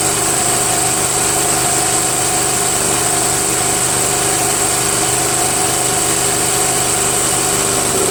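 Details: Briggs & Stratton 13.5 flathead single-cylinder on a Murray Select 40" mower, after valve grinding and re-securing a stripped head bolt with more oil: smooth, even idle with steady hum, no knocks or misses; runs healthy.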